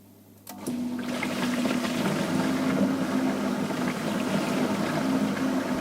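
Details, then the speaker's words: Dishwasher after its pump was replaced. The original symptom was humming without washing, with the capacitor measuring 2.5 µF instead of 3 µF. It now starts and runs a steady wash, water sloshing and spraying over an even pump hum. "приступил к эксплуатации в обычном режиме все работает отлично"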